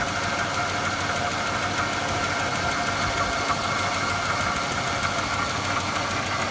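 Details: 2006 Chevrolet Impala LT 3.9L V6 misfiring at idle, faint uneven tick and stumble; codes P0010 and P0306, misfire clears under load but sometimes returns while driving; owner cannot find cause.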